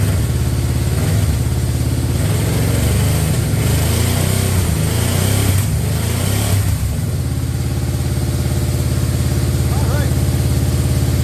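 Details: Yamaha Royal Star Venture 1300cc V4 started after a no-start fixed with a new battery; smooth even rumble swelling with a little throttle, then steady idle, nothing abnormal; normal running.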